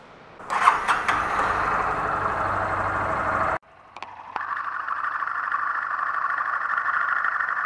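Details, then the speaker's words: Motorcycle engine shown as a noise-free reference: catches quickly, stalls once, then restarts and settles into a smooth, even idle with no knocks or rattles; engine in perfect working order. "no motor eu vou funcionar logo o motor primeiro aqui para você ver que ele está em perfeito funcionamento esse motor não tem barulho nenhum não tem barulho"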